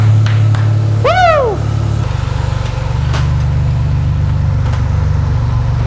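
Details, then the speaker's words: Rebuilt junkyard turbo 4.3 V6 in AWD S10, first start after rebuild and timing fixes, timing set at 10°: catches and settles into steady even run with brief early rev, no knocks or misses. Healthy normal running. "okay hell yeah oh that sounds good I love it"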